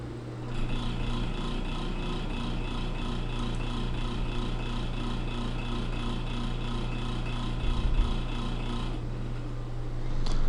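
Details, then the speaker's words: Small test motor (test machine 2) with the rotor deliberately and considerably unbalanced by a piece of modelling clay: steady hum with a rhythmic throb about four pulses a second; measured vibration peak grows markedly. "En este segundo caso, que lo definimos como máquina de prueba 2, tenemos el rotor considerablemente desbalanceado. Veremos cuál es el efecto que produce en la vibración."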